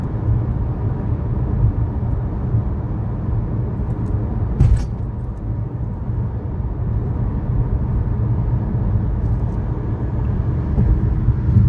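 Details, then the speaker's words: 2013 Chevrolet Sonic in-cabin while driving on a smooth surface: a steady low growl and hum from a bad left front wheel bearing, with the passenger-side bearing new. "in the second clip you will hear the sound of a bad left wheel bearing while the passenger side bearing is new"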